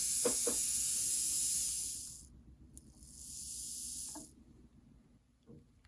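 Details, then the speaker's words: Rewound Athearn Jet 400 HO-scale motor after oiling, running free at under 50 mA (stall current halved to about 1.5 A): thin high even whir, starts and stops cleanly, no rattle or drag; best it has ever run. "This is easily the best that this motor has ever run. It's not even drawing 50 milliamps running free right now."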